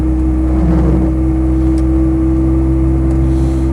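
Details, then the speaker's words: Land Rover 90 County with rebuilt LT77 gearbox cruising around 20-30 mph: steady deep boomy drone, a resonance that changes with engine note and disappears by 60-70 mph; owner suspects something touching, cause unconfirmed. "That's that resonance you can hear, which, as I say, disappears if you have a different engine note, and will go away completely once you've sped up."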